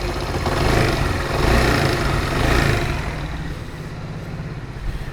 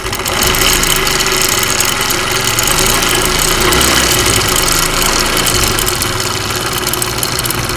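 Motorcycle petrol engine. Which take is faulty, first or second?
second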